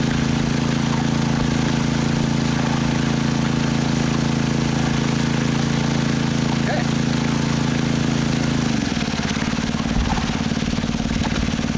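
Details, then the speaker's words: Honda WX15 1.5-inch water pump, restarted after sitting three years, now primed and pumping to a high banker at absolute idle. Steady, even low hum that dips slightly and settles; normal idle under load. "That's down to an absolute idle. I'm just going to pick up the camera and sort of show you the water flow here running at idle."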